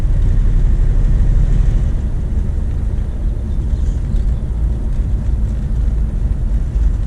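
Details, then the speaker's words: 1993 Corvette C4 LT1 V8, automatic, on its first drive after the massive oil leak was fixed: deep, even roar under throttle up top with no knocks or misses, healthy; the car shakes slightly despite new-looking motor mounts, cause unknown. "um but the engine sounds healthy it it roars when it's going up top it's pretty nice"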